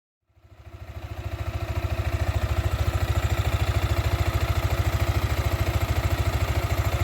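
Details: Sniper 155 VVA motorcycle at 7 months old: even, steady low thumping idle with no ticks, knocks or rattles; the engine idles normally.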